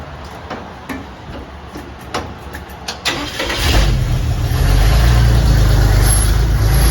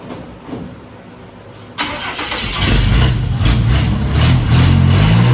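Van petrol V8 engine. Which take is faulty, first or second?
first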